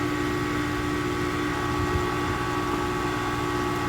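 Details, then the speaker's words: Heat pump outdoor unit after the repair, with 26 V at the reversing valve, in cooling mode on a cold day: a steady fan rush and a constant compressor hum and tone, no rattles; running normally. "Okay, so now that we had fixed this issue, we got 26 volts to the reversing valve. It's running in air conditioning mode."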